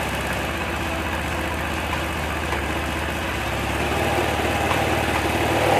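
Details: Honda Vario 110 scooter with a rewound charging coil (spul), battery removed, running purely on the coil. The small single idles at a steady, even putter of about four beats a second with no misses, sounding healthy.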